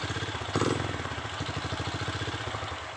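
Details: Honda Blade/Revo Absolute 110 that had been cutting out suddenly, diagnosed as a failed regulator/rectifier (kiprok), running on a jumper bypass before a new one was fitted: small single putters at about eleven even pulses a second, no misses or surging; clean idle.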